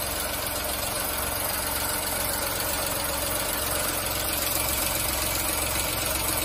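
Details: VW Fox 1.2 L 6V three-cylinder (BMD), after repair of a cylinder 2 misfire from a burned exhaust valve: steady, even idle with no stumble or missing beat throughout.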